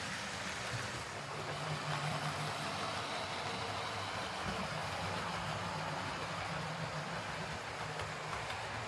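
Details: Hornby R2558 County Class "County of Brecknock" model locomotive after a new drive gear replaced one with a missing tooth: even whirring and rolling hum, no once-per-wheel ticking; gear meshes cleanly, motor still inherently noisy.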